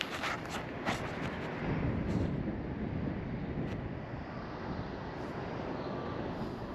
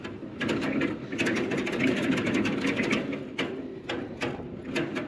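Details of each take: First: LG ductless mini-split outdoor condenser after a new fan blade was fitted (the old blade had loosened off the shaft and broken): steady, even rush of air with no rubbing, ticking or wobble; normal running after repair. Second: LG ductless mini-split outdoor condenser on a roof: the fan clatters with rapid irregular knocks and rattles because its blade loosened off the shaft and broke. Fixed by fitting a new blade.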